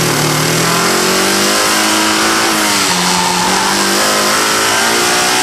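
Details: Engine with a microphone in the engine bay revving up and down, with a rough, hard knocking under the revs. First suspected as a bad lifter, it turned out to be a failed rod bearing and a cracked crankshaft.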